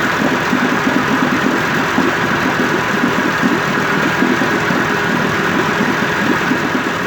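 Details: 1958 Evinrude 18HP Fastwin two-stroke outboard with replacement powerhead, new head gasket, rings, crankpin needle bearings and NGK B6S plugs, on heavy 30-weight oil mix, smoking slightly, cover on. Steady, even burble at settled idle, no misses or knocks: normal idle.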